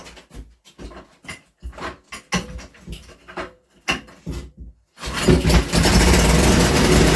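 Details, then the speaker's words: Small Villiers engine, recoil-started on the workshop floor: several uneven pulls and rattles, then catches and settles into a steady, even rapid beat with no misses; runs well. "wow there we go she runs and she seems to run very well"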